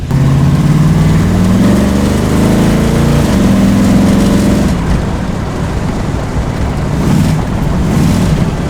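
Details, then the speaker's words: 1965 Cadillac V8 with a new carburetor after a spacer was added and the idle mixture retuned: it revs, then settles into a steady, even idle. The earlier stumble is completely gone and it runs clean and smooth. "That stumble is completely gone, so I'm glad I fixed that."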